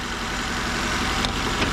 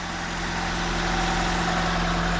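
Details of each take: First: 2004 Nissan Sentra before repair: a shaky, stumbling idle where one cylinder drops out, with no misfire codes, only an air-fuel ratio sensor code. Injector wiring shows power and pulses. A clogged fuel injector is likely; replacement or cleaning planned. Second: 2004 Nissan Sentra idling after replacing a bad fuel injector. Coil and spark plugs had already been replaced without fixing the shake; there were no misfire codes, only an air-fuel ratio sensor code. Steady, even idle with no misfire. Normal idle.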